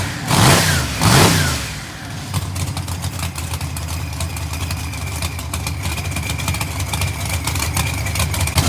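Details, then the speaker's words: Newly built engine on one of its first startups: fires with two quick revs, then a lumpy idle with a thin steady screech from the rear; torque converter bolts rubbing the mid plate, need tightening. "i started hearing a screeching noise and what that noise is actually the converter bolts rubbing on the mid plate um i need to tighten those up and stuff after the first time first two three times of firing one up"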